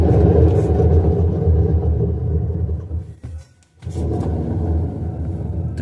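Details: LG washer-dryer with blown drum bearings spinning at 600 RPM: a loud, deep rumbling roar, compared against an identical machine with good bearings.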